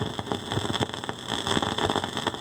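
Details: Fisher 400 tube amplifier with fresh output tubes: irregular crackling and popping over a faint hiss. One side's plate voltage wanders instead of a steady 420 V, and the noise stops when the output tubes or load are removed. The output transformer is bad and arcing.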